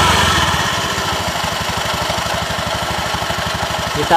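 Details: Honda Beat eSP scooter CVT after replacing the worn clutch shoes: quick, evenly spaced idle pulses with no scraping or rattle from the clutch; it sounds right.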